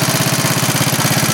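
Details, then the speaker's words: 1939 Onan generator reading 115 V, running after repair as a 300-watt light load is plugged back in; the sensitive governor brings speed right back. Quick, even thumping stays steady with no stumble. "Come right back. That's pretty good. It's pretty sensitive."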